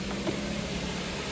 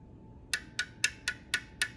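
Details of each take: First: 2007 Suzuki SX4 2.0L J20 after timing chain set replacement (worn guides, stretched chains caused noise); steady, even idle with smooth low hum, no rattle or slap; normal idle. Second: 2007 Suzuki SX4, 2.0L J20 engine, idling with valve cover off and sludge inside: sharp even metallic ticks about four per second over a quiet idle; worn, slack timing chain ticking as it goes around, smoothing out at certain rpm.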